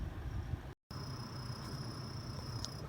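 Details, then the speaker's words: Volvo (XC60/XC70/XC90/V60) AC blower fan running: a thin, high cricket-like chirp that comes and goes over the low airflow rumble, from the blower fan; fixable without pulling the dashboard. "Hear that cricket sound? Kind of comes and goes. I'm going to show you how to fix that."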